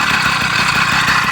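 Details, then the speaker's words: Newly built Bikeberry motorized bike kit on an old mountain bike, idle adjusted, engine a little cold; the small engine pops along at a steady, slightly rough idle under a lot of hiss: normal cold idle. "it's a little cold"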